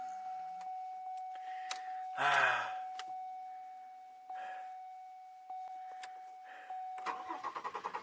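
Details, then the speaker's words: 2002 Chevy Malibu, sat four months, shut down once warmed to temperature and then tried for a restart. A steady chime and brief fast cranking, never catching. Not anti-theft, no check engine light. Crank no start when hot; cause suspected, not confirmed. "I'm going to shut it down. We're going to see if it starts again. Okay, we're ready? Guess what? Nope."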